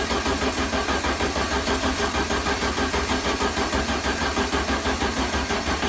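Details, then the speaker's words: 1973 VW Super Beetle engine start attempt after an overhaul. Starter cranks in a steady rapid rhythm, about three pulses a second, without catching; the engine is trying to start, and the owner suspects a fuel delivery problem and a low battery. "well the good news is the engine is trying to start I do have fuel delivery problem"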